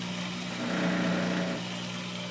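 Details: Kenmore front-load washer, model 417.40142000: steady low hum swelling into a loud rattling vibration buzz from the drain pump; light pressure pushing the pump down stops it, lifting on it brings the noise back.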